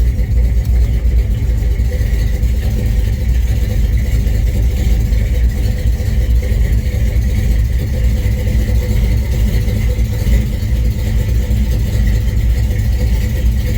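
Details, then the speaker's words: 1971 C20 small-block V8, just timed: steady, even rumble with smooth unbroken beat, no misses or knocks; normal, well-tuned idle. "Going to fire it up and show you. Listen to what a finely tuned small block sounds like. That is fucking magic."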